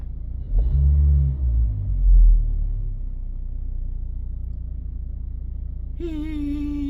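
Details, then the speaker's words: 2009 LPG car, 163,000 km, restarted at idle: steady heavy low drone, no knock; not fixable by one part, possibly intake, exhaust or intake-manifold deformation, very hard to find. "이 노이즈 소리는 어떤 한 부품을 갈아서 잡히는 어떤 그 증상이 아닙니다. 여러 가지 어떤 엔진에서 흡입이나 배출, 아니면 어떤 흡기 매니폴드의 어떤 변형, 여러 가지 형태로 이 노이즈가 발생하기 때문에 굉장히 찾기 어려워요."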